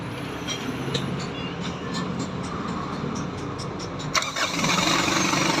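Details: Mitsubishi Pajero that was hard starting and stalling, after replacing a fuel filter full of rust and sediment: steady cranking, then it catches at about four seconds and settles into an even, healthy run.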